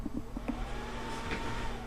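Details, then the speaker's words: Asus all-in-one PC claimed to have a non-working fan and overheating; a small fan whine rises and holds steady under clicks and handling; the fan works, CPU at 51°C, dust build-up was the real issue; normal cooling fan operation. "you hear the fan works make sure to pop the right frickin CD in there while we're getting Windows setup runs"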